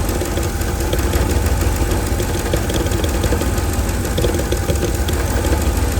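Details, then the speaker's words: 2007 Mercedes-Benz GL450 with random misfire, battery and check engine lights on: a heavy, lumpy idle that keeps hunting with an audible sucking noise and never settles. The catalytic converter rattles inside when tapped. "You hear that sucking? Trying to find an idle."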